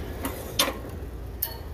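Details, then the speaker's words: Refrigeration unit after a new headmaster valve and filter dryer were installed; compressor disabled at the contactor and disconnect switched on before pulling a vacuum. A single sharp click over a quiet hum as the solenoid valve energizes normally. "hear that solenoid valve energized just then"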